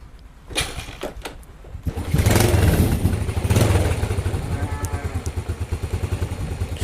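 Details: Yamaha Vega R (old) after fitting a Mio 5TL CDI; the battery is weak, so it is kick-started. Several kick thumps, then it catches, revs up and settles into a steady idle, starting and running normally.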